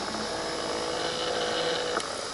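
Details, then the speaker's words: 2015 Chevrolet Impala Limited after replacing the HVAC blend door actuator behind the passenger-side dash, which had clicked from worn gears: faint steady small-motor whir ending in one soft stop, no clicking, normal operation. "And it closed just like it should. Very nice. I'm going to turn the fan back on and the air back on. And it opens up like it should with no clicking."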